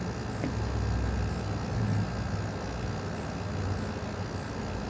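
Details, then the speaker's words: 1985 (or 1988) Westinghouse 5k window air conditioner, first test, with a 1983 Japanese Tokyo Sanyo Electric rotary compressor. A low, steady hum with no knock, rattle or squeal; remarkably quiet and healthy. "it's remarkably quiet is way quieter than the need to junle B today"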